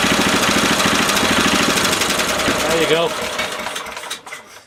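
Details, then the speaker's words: 1970s Honda E2500 generator, indicating 200 volts: it chugs at a quick, steady rate, then stumbles, sags and fades to a stop as it runs out of fuel. "Running out of fuel. Classic sound, an engine's going to run out of fuel, you can hear"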